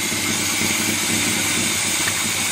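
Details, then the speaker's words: Old fire truck engine (87 450), cold, muffler nearly fallen off, held above its very low idle: steady even roar with hissy top end, sounding much better and smoother than at low idle. "yeah see that sounds a lot better when you do that don't it"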